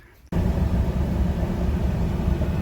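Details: 2015 Ford F-150 driving after replacing the bank 1 sensor 1 O2 sensor (P0130, with earlier rough idle and misfires on cylinders 3–6): a steady, even low rumble with no stumbles or taps, running smoothly with no check engine light.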